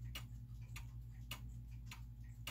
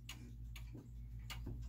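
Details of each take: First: so a clock in beat means that it's an even spacing between the tick and the talk right Second: German time/strike clock in an old case moved off level: uneven tiptoe ticking with a short then long gap; out of beat, and the clock stops because it can't keep running that way.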